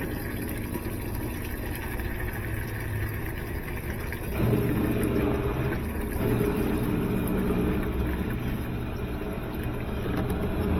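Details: GE top-load washer with a control board fault, tested with water added: low, steady drain-pump hum holding an even drone without grinding or knocking; drain pump running normally.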